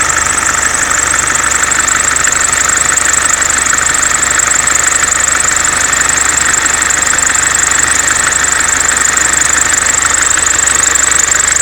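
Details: Mercedes C-Class S202 220D estate diesel at idle: loud, steady high-pitched rushing and chattering from the ribbed accessory belt area; owner wonders about alternator freewheel pulley or belt vibration damper, cause unknown.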